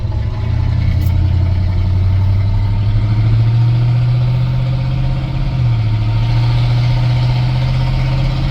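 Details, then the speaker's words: 1978 Chevy C10 with a 305 V8, first drive in about 10 years, exhaust cut off right under the cab: a deep, loud, unmuffled V8 drone rising and falling while shifting up to third gear. Loud exhaust from the cut-off pipe. "a little loud I apologize for that but I guess that's what 305 with the exhaust salt off right up under the cab does right"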